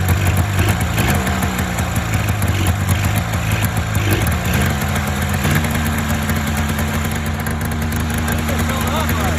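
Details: Polaris Indy 500 two-stroke snowmobile, first start after a used-parts top-end rebuild following overheating, head gasket failure and no compression on one cylinder. Loud, raspy running settles from a ragged burble into an even idle; running normally.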